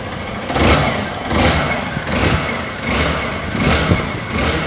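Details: 2011 Honda Bros 150 single-cylinder, test run after repair of a strange engine noise the customer reported: runs evenly with a few gentle throttle blips, no knocking or rattle underneath; sounds healthy.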